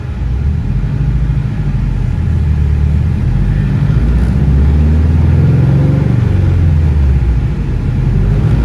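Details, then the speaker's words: Car on dyno full-throttle pull after new ignition coil fitted on cylinder four; deep even roar, no stumble or popping, misfire fixed; about 323 wheel horsepower and about 300 torque. "yeah there we go much better look at that there we go fixed it all right now we can start tuning"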